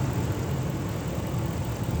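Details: 2006 Ram 1500 4x4, 5.7L Hemi V8, warm idle after a Gates water pump replacement, heater on full hot, coolant at 199 °F: smooth, even low rumble with a steady beat, no knocks or ticks. Sounds healthy; thermostat cycling 190–208 °F, radiator done burping.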